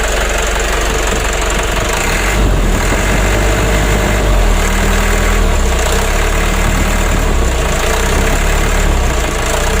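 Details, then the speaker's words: Mitsubishi 120 PS Ragasa diesel after nozzle service, injection pump plunger adjustment and replacing both engine mounts with genuine parts, light throttle. Steady even diesel rumble with no knocks or shaking pulses; engine and cabin shaking fixed. "Alhamdulillah untuk goncangan mesinnya sudah teratasi ya dan juga untuk kabinnya yang goyang ini sudah tidak goyang lagi"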